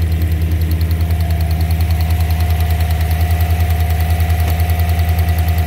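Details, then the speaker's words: Chevrolet Silverado 5.3 V8 (Black Widow package) at idle: sharp even tapping about three times a second with slight misfire and check engine light, caused by a spark plug wire hanging off the coil, sparking. "got a slight misfire too he said it was running fine just had to check engine light see that coil wire is hanging out"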